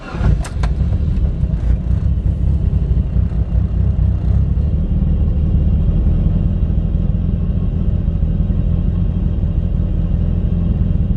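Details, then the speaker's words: Mitsubishi Lancer Evolution IX, fully cold start after a repair that bypasses a resistor: quick crank, then an even, steady low idle with no stumble. Previously it hunted and nearly died until warm; now a normal cold idle. "actually idols oh man before it would just like absolutely stumble on its face forever until it was warmed up oh man I can't believe it actually worked"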